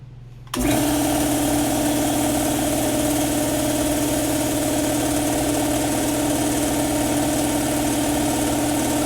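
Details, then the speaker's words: Campbell Hausfeld air compressor after unloader valve replacement that fixed an air leak at the pressure switch area: the motor kicks on and runs with a steady hum and even pump chatter, hisses at the end, and no longer leaks air. Normal. "you know hiss at the end that's what it's supposed to do and it's not blowing air out from underneath here anymore"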